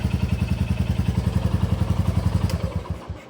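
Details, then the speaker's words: 2024 Royal Enfield Bullet 350 single-cylinder, first start right after valve clearance adjustment: even idle thump, three or four beats a second, no top-end tapping; normal idle. "That all sounds good. [Music] Oh, sounds good. Sounds really good."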